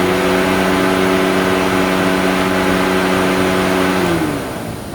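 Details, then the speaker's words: AC condenser fan tested after cooling system repairs, drawing about 5.5 A: steady, even whir with constant tone at higher RPM, then smooth wind-down; spins freely without hitting the shroud. "probably about five and a half amps but sounds like it spins at definitely a higher RPM so we're not hitting the Shroud everything's installed all three fans are working"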